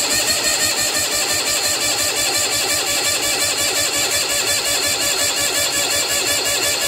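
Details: Old Bolens tractor cold-starting after about a month unused, battery on a charger, throttle up and choke on, recorded from the cab: fast, uneven, strained chuffing as the cranky cold engine struggles to catch and run.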